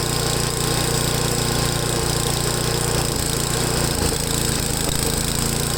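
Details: Ariens 8HP Tecumseh engine on new replacement carburetor after mixture adjustment: single-cylinder idle hunting up and down unevenly; idle surging persists, owner says these engines always surge at idle while full throttle runs fine, possibly flooded after high-speed jet adjustment.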